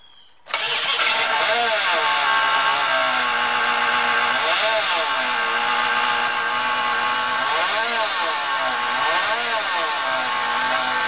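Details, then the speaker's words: Chrysler 318 (5.2 L) V8 started after an oil pump, oil pan gasket and starter replacement: harsh metallic scraping, hiss and wavering tone from between engine and transmission, found to be the flex plate hitting the inspection cover. "but I caution you that she's making a foul noise that noise however is not coming from the engine it's coming from between the engine and the transmission so I suspect either a cracked flex plate or perhaps the flex plate is colliding with the inspection cover"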